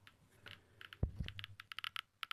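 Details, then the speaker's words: DP-5V military dosimeter switched to control mode (K) with its check source: sharp irregular clicks, about six a second, the crackling of an elevated radioactive background that signals danger; check-source test confirming the instrument works. "and hear this kind of crackling sound. This is the sound of an already increased radioactive background. When this device makes such a crackling sound, it means that it is dangerous to be here."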